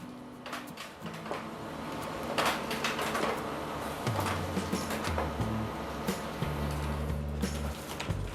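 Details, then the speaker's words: Brother printer after repair of worn, broken-toothed tray-lift gears: feeds and prints normally with motor hum, paper-feed clicks and sheet rustle, no more repeating tick-tick, and the paper tray now rises. "Observe que ela não faz mais aquele teque Tec e a minha bandeja ali dentro ó ela tá elevando entendido"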